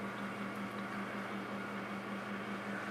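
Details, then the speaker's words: Backup server during drive expansion, booting: steady droning hum with a wavering pulse of two to three beats a second from a bad cooling fan that sounds like garbage and will be replaced. "i'm going to replace that cooling fan that's very obviously bad sounds like garbage"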